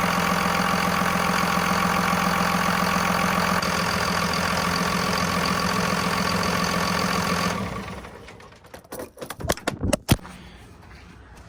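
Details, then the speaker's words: Second-gen 24v Cummins turbo diesel after new serpentine belt install: steady even diesel clatter at idle with no squeal or chirp, belt squeak gone, smooth shutdown; normal idle. "new serpentine belt design and as you guys could see the squeak is gone which is good"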